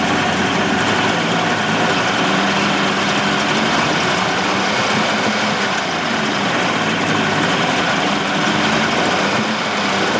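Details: 1988 Mercury 70 hp inline three-cylinder two-stroke outboard in a test tank after carburetor work. Steady, even buzzy idle with no skips or stumbles; firing on all three and idling nicely. Normal idle.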